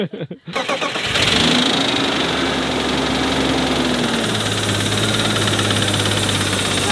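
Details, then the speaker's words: Porsche GT3 RS on start-up: cranks, catches, then a busy idle with a light, fast metallic rattle from the top end; suspected blown head gasket or cracked head with water in the oil, unconfirmed. "but why would a blown head gasket cause a rattle because it's got too much water in the oil"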